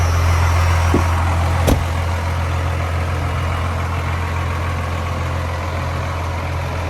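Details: 1994 Dodge Ram 2500 4x4 with a 12-valve 5.9 Cummins diesel, 5-speed manual out of gear, 122,314 miles: brief crank, fires at once, then a deep steady idle with even clatter and no misses; healthy.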